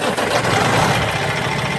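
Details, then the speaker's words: 2013 Freightliner Cascadia 125 day cab, Cummins ISX15 425 HP diesel, 621,000 miles: starts easily, catches and settles into steady diesel clatter at idle with no stumble or misfire; normal start, minimal blow-by. "you can hear, it starts easily."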